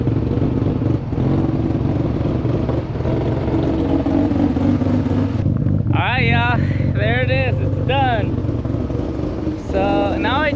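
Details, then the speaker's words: Freshly rebuilt Mazda RX-7 FC 13B non-turbo rotary after first start, idle set via TPS adjustment: revs idle fast and surge up and drop back every second or so; high, jumpy idle, timing at rough baseline suspected. "I mean, the idle is a bit high, but um and it's a little jumpy, but that could be due to the timing stuff."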